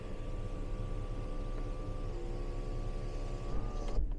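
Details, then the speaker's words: 2018 Mercedes GLE 350 4Matic with 3.5 L V6, sunroof operated in cold weather: smooth, even electric motor hum stopping cleanly, no grinding or clicking, no abnormal noises. "but no abnormal noises all of that you know works great"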